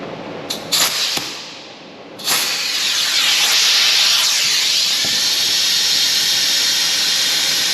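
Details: 2020 Toyota Camry, 2.5 L A25A four-cylinder, coolant service: venturi vacuum filler on shop air gives a loud, steady high hiss, pulling the cooling system into vacuum normally until the gauge needle reaches green.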